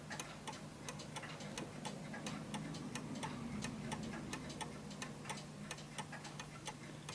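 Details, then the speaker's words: Vintage British Bentima/Perivale Art Deco 8-day mantel clock, pendulum being pushed left and right to set beat: sharp ticks about three a second with uneven tick-tock rhythm — clock out of beat, ticking more than tocking. "so I know this one won't work because I can hear it ticking more than talking"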